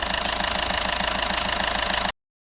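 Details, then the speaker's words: 2014 Skoda Superb 1.6 turbo diesel after replacing the turbo wastegate actuator, which had caused a noise. Even diesel idle with a regular combustion tick and no whistle or rattle: normal idle, noise gone. "Okay, so yeah, as you can see, there's no more noise and the job is done."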